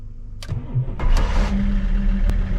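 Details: Donor Audi jump-starts a BMW after jumper cables connected and Audi run about 5 minutes, optionally held at 2000 rpm; brief crank, engine catches within a second and settles into steady, even idle, starting normally.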